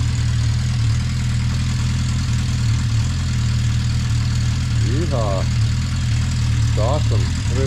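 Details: 1980 Honda CB650C four-cylinder, just after a cold start on choke with the original OEM 4-into-4 exhaust refitted: steady, deep, even idle with a smooth exhaust beat. No misses, knocks or leaks; healthy engine.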